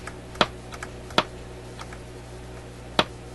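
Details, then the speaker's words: RCA A24 antique vacuum tube radio during alignment: three sharp, isolated speaker pops a second or two apart over faint hum; owner suspects a bad capacitor, unconfirmed. "That sounds like a bad capacitor to me, but can't be sure of that. They wouldn't usually design a radio to have a pop in it like that."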